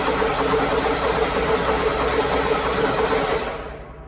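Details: Toro zero-turn mower that had probably been sitting about four months, choke out, battery good, fuel solenoid working: starter spins steadily about three turns a second but never catches; crank no start, likely stale fuel in carburetor.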